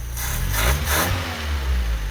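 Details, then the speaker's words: 1976 turbo Fiat with a dirty carburetor that sat on old fuel: a low, fairly even idle, still slightly rough, after screwing the solenoid back in sealed an air leak. The idle is much better and steady. "but screwing that little sonoid back in actually look at the idle it's much much better"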